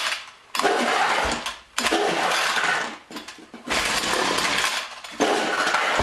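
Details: John Deere BC1600 two-stroke trimmer (Zama H46 C1U carb), sat for years: short rough bursts of about a second between quiet gaps, dying each time; hard starting, owner suspects dirty carburetor.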